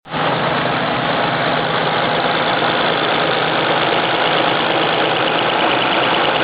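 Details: 1993 Nissan 300ZX, naturally aspirated VG30DE, about 120k miles: steady idle with a faint, quick, even ticking that began two days earlier. The owner suspects a lifter tick but thinks it may be too quiet for one; unconfirmed.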